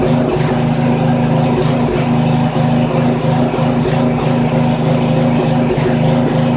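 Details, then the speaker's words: Poulan 900 rototiller with small Briggs & Stratton single-cylinder engine, running with air filter removed: beat wanders and surges instead of holding steady, rough uneven idle; carburetor suspected dirty and due for cleaning, dark sooty muffler suggests running rich. "no doubt about it got a clean out that carburetor"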